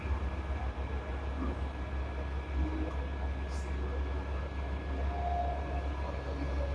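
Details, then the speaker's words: Samsung dishwasher after repair for HC heating error code, test 30-minute cycle: steady, even low hum with no knocking, rattling or surging; wash pump motor running normally. "it's a pump is the wash motor is working you can hear the noise pressure"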